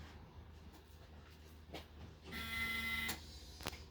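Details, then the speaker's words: Mercedes 280SEL 4.5 with new fuel pump and new battery, key on before starting: short steady electric buzz under a second from the rear as the new fuel pump primes normally, no leaks. "oh I hey there it is no leaks I heard it so we're still pumping fuel from back there yep"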